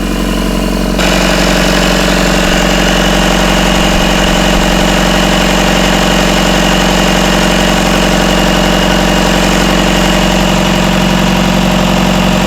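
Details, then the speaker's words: Rebuilt Isuzu 4BD1T diesel in a Hitachi EX120 excavator, first start, about 1250 rpm, still warming (about 100°): steady idle with an even beat about three per second, no rattle after loose rear bolts were tightened; healthy. "let me tighten these up just uh putting in a throttle lever here okay okay let's see if that sounds it's not rattling it's about 1250"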